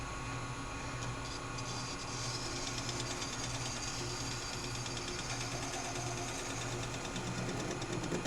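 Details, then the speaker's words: Lathe turning a Corian faceplate, flattening its face. A fast rattling chatter buzz over the lathe hum shows the surface is not completely level yet. Tool chatter from an uneven faceplate surface. "See, you can hear it, even here where it's all solid, you can hear a little bit of chatter, meaning that it's not completely level."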